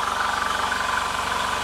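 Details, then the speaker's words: QUPB GT Max 800 W 220 V fan-cooled electric PCP compressor (max 310 bar) filling a 3 L scuba tank toward a 2500 setting: loud, even buzzing chug with fast steady pulse and bright hiss; noisy when started but normal running. "Nah, pada saat nyalakan suaranya akan berisik."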